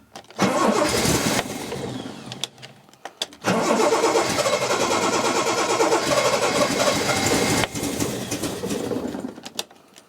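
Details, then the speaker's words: Steadman TS-100 with a Jaguar XJ6 Series III 4.2L petrol six and SU carbs, started after sitting a while: cranks, catches and runs lumpy and stumbling, as if on three cylinders, before timing, spark plugs and carbs were serviced. "and as you probably noticed the engine wasn't running too well it almost sounded like it was running on three cylinders"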